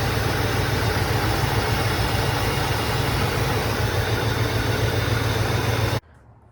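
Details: 1984 Mercedes 380SL R107 V8 at idle after new Bosch fuel injectors were fitted for warm-start trouble: slow crank, likely from refilling fuel lines, then a smooth, healthy idle with no misses, knocks or ticking. Normal idle.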